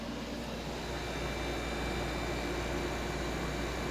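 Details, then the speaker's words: 1970s Westinghouse 6,000 BTU window air conditioner after an hour of running on a 70°F humid day. The compressor gives an even, steady hum with a low drone and faint tonal whir, like old refrigerators, no knocks: normal compressor operation. "That sound reminds me of old refrigerators of my childhood, literally. That is so cool."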